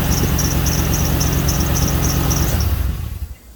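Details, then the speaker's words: 2005 Ford F150 4.6L V8 after replacing cracked exhaust manifold on one side, one stud missing: idle with quick ticking puff about three per second; repaired side barely leaks, opposite side's manifold clearly leaking; exhaust manifold leak. "Well, it doesn't seem like this side is really leaking all that much, but the other side over there is definitely leaking around the same area."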